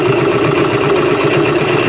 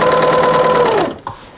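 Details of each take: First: just to warn you the motor on Pearl it's got this plastic shaft that is really noisy it works but it's really noisy so just ignore that noise Second: Second-hand single-needle narrow serger, possibly from the 1980s, trimming about an eighth of an inch off seams: smooth steady high whir with even stitching buzz winding down cleanly to a stop; machine running normally.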